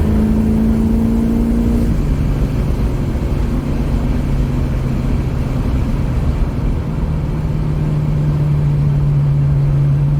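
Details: Cutlass V8 on a cool October test drive after MSD HEI coil, module, Moroso wires and new plugs: strong, even pull under load with a shift, no skips, pops or stumbles; slight pre-ignition noted.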